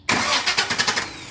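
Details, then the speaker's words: 2000 Chevy C3500 after fixing a voltage drop (bad connection) in the ground cable: brisk, even, strong cranking, about six quick pulses in under a second; normal cranking, battery reading 12.15 V. "that sounds a whole lot better let's see what the voltage is"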